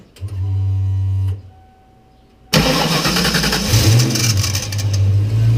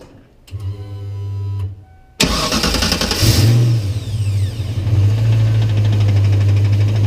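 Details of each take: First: 1993 Ford Mustang Cobra, recorded from underneath with the microphone aimed at the starter. A shrill buzzing squeal lasts about a second at startup, then the engine runs on; the starter is suspected of staying engaged and being overspun, so it is being replaced. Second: 1993 Ford Mustang Cobra after starter replacement, formerly squalling briefly at start-up from a starter suspected of sticking engaged: quick clean crank, immediate catch, steady low idle rumble with no squeal or grind; normal startup.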